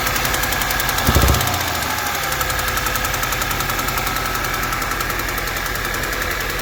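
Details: 2009 Audi A4 B8 2.0 TFSI, brief start-up surge then a fast, even ticking of about three to four per second over the idle.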